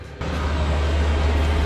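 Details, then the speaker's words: FF heater in a 1973 VW Type 2 camper, first start after manual fuel priming: steady low hum holding an even tone as the fan and pump run and combustion succeeds, warm air from the outlets; burns normally with no sputter. "最初にファンが動いて多分ポンプが動き始めます。そうすると転下です。さ、ポンプが動いてゴゴゴゴゴゴゴゴゴゴゴって音がしてきましたよ。"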